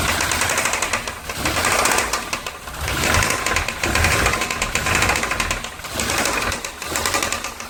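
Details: VW AP 1.8 engine in a Santana, oil pump and hydraulic lifters replaced, timing and camshaft checked, oil level correct with new oil and filter, no smoke: loud rapid knocking clatter from the bottom end. Connecting-rod play suspected.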